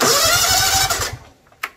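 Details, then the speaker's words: Free, non-running John Deere riding mower: about a second of quick starter cranking then cuts out dead; faulty mower deck PTO engagement switch only cranks in the right position, replacement needed. "sure if you play with this switch and get it in the right position the engine will crank so i think the first thing we need to do is uh get a new one these switches and replace it"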